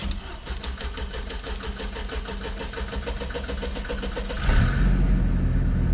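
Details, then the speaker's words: Truck sat overnight in driveway, cold start with scanner connected and key on: steady starter chugging about four seconds before catching and flaring; rough hard start, unsure but suspects loss of cam signal; brake, airbag and check engine lights on. "all right that's almost like a loss of a cam signal that's kind of what that sounds like I'm not sure though"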